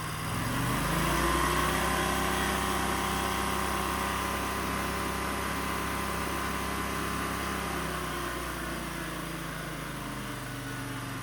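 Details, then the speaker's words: Wheel Horse 520Lxi tractor, Kawasaki liquid-cooled FD620D twin, after carburetor replacement for sluggish bogging; held at high throttle it runs smooth and even with steady pitch, no surging or bogging, then eases down cleanly; normal high idle, should smooth further when warm. "All right, guys, this thing runs like brand new."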